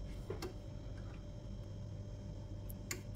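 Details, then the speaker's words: Karaca Coffee Art 1101 espresso machine just switched on, lights settling; a few faint sharp clicks over a quiet hum show the machine heating up; normal heating relay ticking during warm-up. "tık sesini duyuyor musunuz O Ses makinenin ısındığını gösteriyor"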